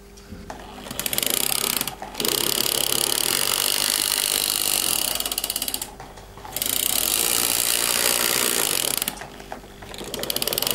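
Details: TT-scale model steam locomotive running with a harsh, fast ratchet-like rattle broken by a few brief pauses; rattling drive mechanism, cause unknown despite owner trying everything.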